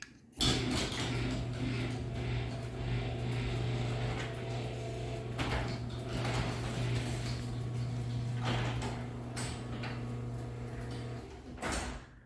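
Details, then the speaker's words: Belt-drive garage door opener on a big door, belt left slack: steady, low motor hum with a rough grinding undertone through the whole downward travel, ending in a soft close on the ground; this grind is normal for these openers. "And I've got it closing nice and soft on the ground. You can hear it does grind quite a bit on the way down. But like I said, they all do that."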